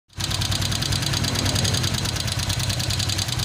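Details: Honda Vario 125 LED scooter with rough-noise complaint at idle: fast light ticking from the cylinder head keeping time with the engine, rocker arm and rocker shaft wear identified as cause.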